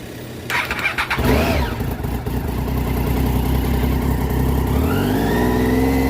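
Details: 2012 Triumph Street Triple 675 R after stator, rectifier, spark plug and air filter replacement, jump started: engine fires, then revs climb and sag instead of settling; hunting idle, code pointed to MAP sensor, traced to a disconnected vacuum hose.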